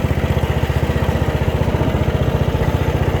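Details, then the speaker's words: Bolens rear-engine riding mower, 5-speed transaxle, new carburetor, in 5th gear creeping along: even single-cylinder thump about three beats a second, steady and unbroken; idling along healthily. "We're just idling along, so not too bad."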